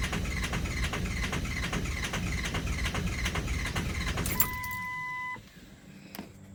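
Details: Ford 6.0 diesel cranking: the starter churns steadily at about two and a half beats a second with no catch, then stops; it turns over but won't start.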